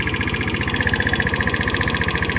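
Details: Omax 150cc scooter, 2013 model, 9,657 km, engine knocks but still rides; fast, even metallic tapping over the idle. Weak battery; owner unsure of cause, suspects carburetor membrane behind poor cold starting.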